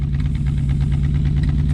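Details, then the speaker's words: 1967/1968 Ford F100 pickup V8 after carburetor rebuild, revved up: deep, steady rumble with even pulses, no knocking or stumbling; runs well, normal running. "uh i think the old girl runs pretty good look at there daddy rev it up"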